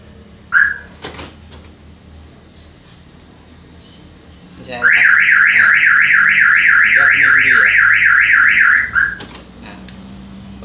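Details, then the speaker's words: Parked car's alarm siren wailing in a fast rising-falling pattern for about four seconds, triggering by itself. Brake light stays lit without the pedal pressed, suspected as the cause of the alarm sounding on its own. "kali ini saya mau share Bagaimana cara mengatasi alarm mobil yang bunyi sendiri ya"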